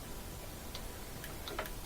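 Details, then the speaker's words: Kenmore top-loader washer that wouldn't spin: lid switch case glue had failed from age or a slammed lid, cracking it; case tightened with zip ties, and a handful of light crisp ticks show the lid switch clicking normally again. "and we're just gonna make that tight around the case so that cases is nice and strong again and it should click normal and that'll activate that lid switch and that would get rid of all the water"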